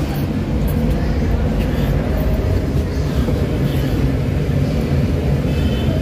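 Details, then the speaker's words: Suzuki DA17 after fitting a new PCB/ECU: low, uneven engine rumble with a steady shake at idle, still no code detected by the scanner. Rough idle persists; ECU and vacuum parts to be replaced next. "Okay so nakig guys pinaandar na natin ang problema e Nanginginig pa rin yung makina So ibig sabihin may problema pa rin yung kanyang system"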